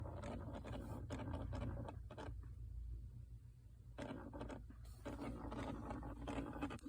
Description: My 2006 2nd gen Prius makes scratching noise seemingly from the gas pedal.